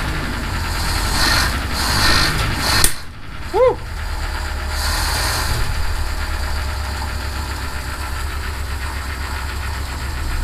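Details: Citroen HY van after a no-start repair, fuel lines reconnected: cranks, catches and settles into a steady, even idle with no knocks or misses; healthy running.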